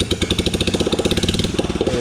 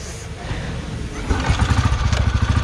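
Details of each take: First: 2008 Royal Enfield Bullet Machismo 350 ES, long-stood, after restoration, running without silencer: open sharp single-cylinder thump at an even beat with harsh crackle on top; odd sound from exhaust lacking silencer. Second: 2008 Royal Enfield Bullet Machismo 350 ES, 17 years old, little used, after restoration: kick start, single catches on first kick and settles into steady even thump about three beats a second; runs healthy, no problem.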